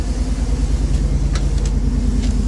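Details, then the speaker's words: 1990 GMC truck with freshly swapped 350 small-block V8, Thrush muffler and Cummins exhaust tip, nearly 250,000 miles, first fire after swap, near operating temperature: deep, throaty exhaust rumble with an even, steady pulse, no knocks or ticks; normal idle. "yeah buddy listen to that exhaust oh yeah that sounds good I like that"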